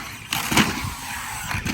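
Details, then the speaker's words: Custom Traxxas X-Maxx RC truck with Hobbywing MAX4 560kv motor on 8S during burn-in, new pinion and spur gears: rough scraping rasp swelling as motor spins up, sounds like something in gear train rubbing badly, cause unknown. "Check in on these gears is, it sounds like something's rubbed really bad. Doesn't it sound like that to you? Yeah, it does."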